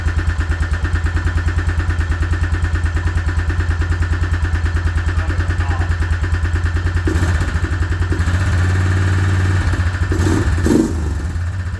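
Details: Suzuki Vinson 500 quad, single cylinder, coolant blown out of the cylinder and initially would not crank: uneven, lumpy thumping at about three beats a second, then a couple of blips; rough running, owner suspects a knock from coolant in the cylinder.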